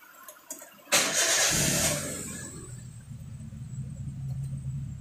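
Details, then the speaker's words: Car idling with the AC compressor not engaged, checked because the engine sounds rough with the AC on and the AC doesn't cool. It is a quiet, even low idle with no harsh noise. "getaran Injil dalam keadaan running dan kompresor dalam keadaan tidak running kita dengar izin bunyi senyap Bro Uh"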